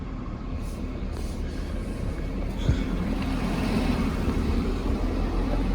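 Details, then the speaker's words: 1992 Nissan 240SX S13 engine, started after throttle body and MAF cleaning and a new air filter, basically cold, idling at 1400 rpm; steady raised idle hum with an even low rumble, normal cold fast idle expected to drop once warm. "We're sitting at 1400 RPMs. I think that's normal. It's basically cold."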